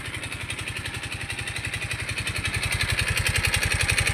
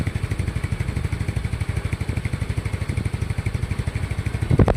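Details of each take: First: Mio i 125 scooter engine run dry of oil from lack of oil changes: hard, rapid knock growing louder as it revs, with loss of power; oil starvation. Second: Yamaha Mio i 125 scooter that had engine knock from running low on oil, idling after repair: steady, even putter with no knocking or tapping apart from one brief clatter; engine running healthy.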